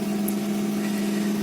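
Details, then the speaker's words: 2003 Honda Accord V6 after a head bolt Helicoil repair, cooling system still on water: a settled idle with a clean, steady hum and a brief rev, with no knock, tick or hunting; it sounds healthy. "so that's it right there the car is running give it a little rip sounds good"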